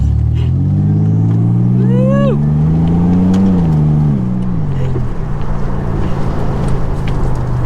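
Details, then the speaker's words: Nissan 300ZX Z31 turbo, previously straight-piped after the cat was cut off, now with a home-fabricated cat-back exhaust using a 2.5" muffler: deep, even, muffled exhaust tone climbing smoothly under acceleration and settling back, no rasp, drone or rattle; far quieter, exhaust success. "the exhaust was a success the car sounds great it's way quieter to drive"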